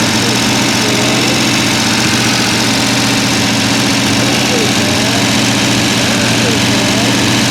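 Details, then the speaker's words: Rebuilt Mopar 383 V8 with timing set, running so the lifters can be seen turning: loud, steady idle with a constant low rumble and lots of open valvetrain and exhaust noise, no misses or knocks. "Go ahead and crank it up, Joe, and let's get a picture of all these things turning. It's loud."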